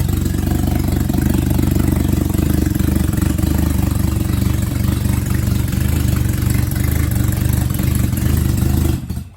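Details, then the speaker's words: Volkswagen Jetta engine's first start after rebuild with timing chain refitted and new valve cover gasket: loud but even unmuffled idle because exhaust manifold not fitted, steady chuffing, no ticking or knocking, no leaks. "Man, it's been a lot of work, but that sounds good. You know, it's just loud because we don't have the exhaust manifold hooked up"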